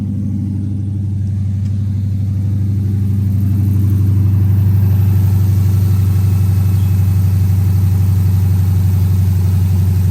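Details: 2010 Dodge Charger just after first startup after destroying a set of heads: deep, steady rumble with an even pulse around four a second, no knocks, ticks or misses; idling smoothly and healthy.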